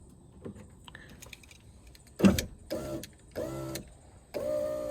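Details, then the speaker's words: 2004 Toyota RAV4 power window that had come off its rail, tested after reassembly: motor runs in short labored bursts with an uneven drone going up; sounds fine going down but strained raising, regulator straining, cause not yet clear. "sound good going up doesn't sound good"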